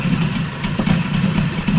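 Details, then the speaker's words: Yamaha 20A two-stroke outboard (1972–1978), about 50 years old, running cold after a service: uneven, smoky idle that seems a little high, then sags and surges, and it later stalls. "that's an idle I mean it does sound like it's iding a little high"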